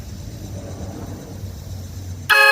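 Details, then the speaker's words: Chevy Silverado 5500HD with a new aftermarket air horn replacing the stock horn, key on, compressor pumped up: a loud, clear, steady blast with a bright, even tone once air has run through it; correct horn tone. "Alright, now we got the right tone. Just needed to get some air ran through there."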